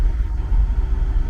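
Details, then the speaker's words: Willie's International 1210 truck with a newly fitted Holley 2300 Super Sniper fuel injection. It starts in under one crank revolution and holds a deep, steady V8 idle with no misses or knocks: normal idle. "then hit the key and it's about two rotations well it didn't even rotate an entire Revolution and we're sitting here running"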